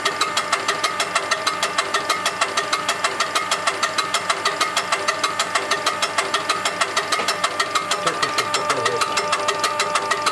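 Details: УТН-4 injection pump test after repair and adjustment: even, steady diesel beat with clean regular firing pulses, no knocks or misses, healthy smooth run.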